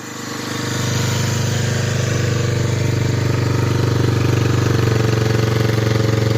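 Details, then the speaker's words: 1985 Honda Big Red 250ES, cold start after sitting a long time, on part choke: steady, slightly lumpy single-cylinder idle, smoking a lot and prone to dying; the battery is weak. "choke on a little bit because this thing likes to die"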